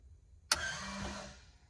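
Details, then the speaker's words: Crop-spraying airplane with a rebuilt spray system, newly wired right-boom shutoff valve switched on: a sharp click, then a short electric whir fading within a second as the valve turns to shut off the right boom, working normally. "So if I flip this switch on, you should be able to hear that valve turn, which would turn off the right boom, and that light should come on. Looks like it's working."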